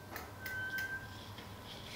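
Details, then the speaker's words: Pacific Noris 2.1 folding bike, front mechanical disc brake: after the caliper cable was re-tightened with a 5 mm L-key, a thin high squeak still comes and goes as the wheel is rolled back and forth; the pads are still rubbing the rotor. "Oke, saat sudah kencang semua, kita coba maju mundurkan. Masih bunyi ya, masih bunyi."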